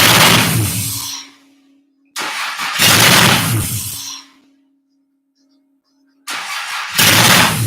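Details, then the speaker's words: Honda J-swapped Porsche 914, first start attempt: two long, steady cranking bursts with a gap between, engine never fires; owner first suspected the ECU, then suspected a miswired ignition signal wire. "wants to wants to don't know what's going on probably i had to guess something's missing in ecu it's probably telling it to not uh not totally kick over"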